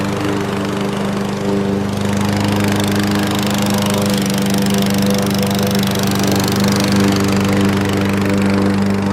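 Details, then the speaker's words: Fairly new Craftsman 7.0 mower, formerly a no-start with air filter missing, now running after repair with air cleaner refitted: steady even drone, no misses or hunting, burning off a little oil; runs healthy. "burning off a little bit of oil. Yeah, she runs pretty good now, though."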